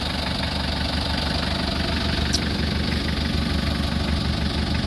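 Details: 2003 Mitsubishi L300 diesel pickup: rough idle with a fast, loose clatter of about three beats a second; severe blow-by from worn piston rings, engine overhaul needed.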